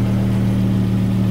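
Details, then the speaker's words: 2009 Volvo S60, 175,000 miles, idling just after replacing the original fuel filter while checking for leaks, none found: a smooth, deep, steady hum and even low drone with no knocks or stumbles. Normal idle. "the next step is we've got to start the car and make sure this doesn't leak as you can hear the car is running and over here"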